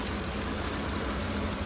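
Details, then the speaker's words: 2010 Ford F-150 at idle, shaking with check engine light and camshaft position codes for bank one: uneven, stumbling idle with irregular exhaust dips; misfire traced to a damaged MAP sensor wire. "I have a customer with F-150. It's misfiring. So, we're going to check what's what's going on with it."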